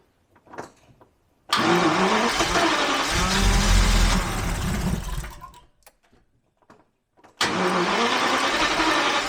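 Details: Abandoned Jaguar XJRS V12 on an external fresh-fuel supply with good spark; swapping the fuel pressure regulator made no difference. Long cranking bursts with uneven half-catches that never settle; it floods right away. Crank, no start, flooding.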